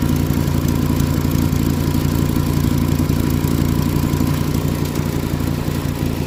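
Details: Volkswagen Rabbit at idle: low throbbing idle with a fast chuffing puff on each firing pulse, steady throughout; exhaust leak.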